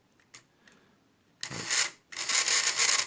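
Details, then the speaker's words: 1960 tin toy VW Beetle, drive tested lifted off its wheel so gear slack isn't taken up: two short dry high rasping whirrs as the motor runs free; drive gear slipping, needs fixing. "you can hear what now happened is uh is a slippier and then so i need that to fix that"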